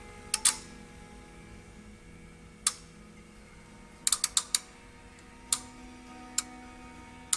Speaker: Hear that relay clicking? That relay's energizing when I pull pin 1 to ground.